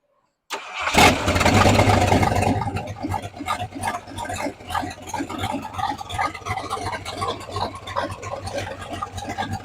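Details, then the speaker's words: 1968 Ford F100 V8 with Holley carburetor, first start after sitting over 5 years, fed from a temporary boat fuel tank after fuel lines were corrected; starter cranks briefly, catches with a loud flare, then settles to a steady, loping, even idle. Normal V8 idle. "Look at that, we got the old boat gas tank here running. Got all that hooked up. We're going to fire it up. She's running really good now."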